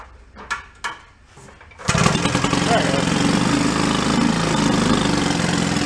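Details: 1937 Sears Water Witch 2.5 hp two-stroke outboard, 83 years old, revived from a shed, main jet opened a little and rope-started; the air-fuel mix needs adjusting between high and low revs. It settles into an even, steady low idle: running properly.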